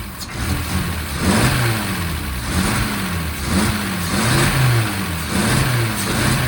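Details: 1963 Mercedes W111 under restoration, started after refitting the mechanical injection pump, ultrasonically cleaned injectors and cleaned distribution block; engine runs steadily, revs rise and fall cleanly in repeated blips, even firing, no misses; normal running.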